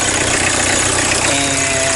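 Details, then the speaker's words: 1979 VW Rabbit diesel with greasecar vegetable-oil conversion, engine replaced with a 1.6L, started after a month or two unused, belt cover off: steady idle with even quick injector tapping and clean unchanging rhythm; healthy diesel idle. "So you can hear it tapping away. Here's what a diesel sounds like."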